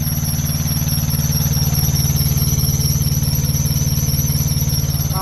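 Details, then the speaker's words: Semi-truck APU diesel at idle gives a loud, steady high-pitched squeal when the compressor and fan kick in; the slack alternator belt slips under load, and the fix is prying the alternator to retension it. "vamos a ver cuando el compresor entra que ese abanico prende entonces va él suena suena super"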